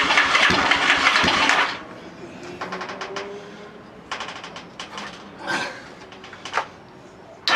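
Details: Lifan Earth Dragon 125 project bike, hot-wired, first start attempt: on choke, a small single fires, runs briefly, then stumbles with scattered weak pops; not yet running cleanly.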